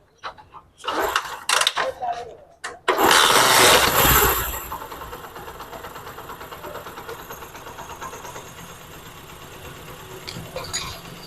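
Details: 2019 motorcycle engine that had timing-chain noise, after fitting a new timing chain and Japanese rollers with timing marks aligned: fires with a brief loud rev, then settles into a quiet, even idle with no chain rattle or ticking.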